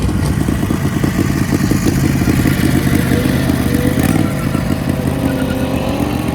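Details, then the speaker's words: Turbo Predator 670cc V-twin dragster on about 8 psi boost and nitro-methanol fuel, roughly 8,500 rpm pass: the engine screams flat out, then a sharp crack as the CVT torque converter driver explodes, cutting a turbo oil line, cracking the carb bowl and knocking off the air filter. "blew up the torque converter and uh yeah the torque converter exploded the torque burner exploded"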